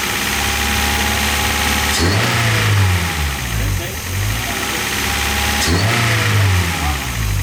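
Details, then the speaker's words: Car nicknamed Wago, running again after a fire and repairs including straightening an injector; settles into a steady even idle and takes two clean throttle blips, rising and falling smoothly without misses or knocks. "alright guys as you can see you got a wacko running again super awesome"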